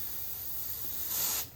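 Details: V8-swapped Chevy S10 AC recharge with R134a, after a 20–25 minute vacuum: the can is opened and the center hose fitting is loosened slightly. A short, sharp hiss of about a third of a second purges air until liquid appears.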